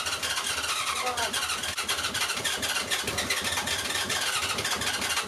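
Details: 1980 Honda CB750C engine cranking after fuel was cleared from a cylinder. Steady rapid cranking with uneven beats fires briefly but won't keep running.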